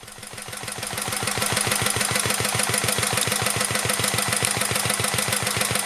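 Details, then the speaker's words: 1949 Petter A1 air-cooled single-cylinder stationary engine with homemade "Bitsa" generator and lighting set: steady, even beat at constant speed with crisp exhaust pulses and no knocks; healthy engine, normal running under generator load. "I'll shut up for a bit so you can enjoy the sound of a vintage engine"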